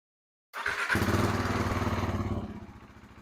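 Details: KTM RC 390 single after a DIY valve adjustment, let sit then warmed up fully, mic muffled in sweatshirt; catches quickly and settles into an even thump, about four beats a second, no misses or smoke: starts easier, healthy idle.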